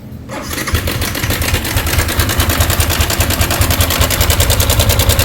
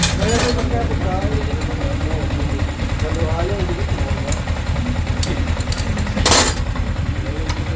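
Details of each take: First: Yamaha Sniper 155, 24,997 on the odometer, arrived reportedly not running: engine catches and idles with a fast, tinny metallic rattle over the beat, diagnosed as the cam chain tensioner. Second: Yamaha Sniper 155 at 24,997 on the odometer, after cam chain tensioner replacement: steady, even single-cylinder putter with no ticking or rattle; the engine is quiet again.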